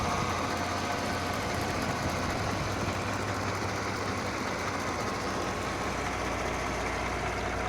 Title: Mercedes Benz GLK 350 Bj. 2009 Klaggerndes Motorgeräusch 2